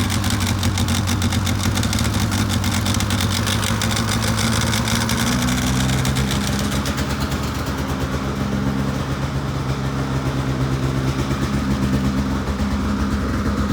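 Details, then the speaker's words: 2006 Polaris 700 IQ Classic two-stroke snowmobile, sat a few weeks, started after charging a weak battery, heard outside: settles into a steady, even burble with a slight speed drop partway; normal, healthy idle. "So I got it all running now. As you can probably hear it outside. All it took was a little bit of a charge to the battery because the battery didn't have enough power."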